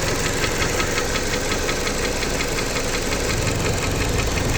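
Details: Jeep Patriot 2.4 at idle: a sharp, repeating metallic engine knock about three times a second over the engine hum; the owner asks what it could be, and the source is unidentified.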